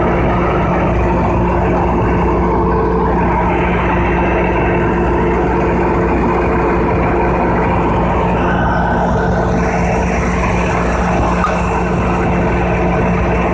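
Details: Diesel generator rated 3500 kVA during a load test: a loud, steady drone with a constant low hum and even tone under load, no knocks or surging.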